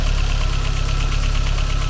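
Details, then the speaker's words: Mercedes 190E 2.3 16v Cosworth Evo, FuelTech-managed: the starter cranks in a fast chugging rhythm that catches unevenly because one cylinder has no compression, found by a FuelTech relative compression test; engine opening and a forged piston and rod are planned. "this noise that catches unevenly, is what we used to do the relative compression test of FuelTech,"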